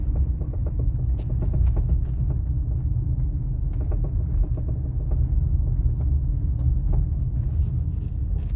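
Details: 2000 Toyota RAV4 driving, sway bar bushings and links already replaced: low road rumble broken by irregular sharp clunks and knocks in bursts, something loose in the suspension; suspension clunking while driving.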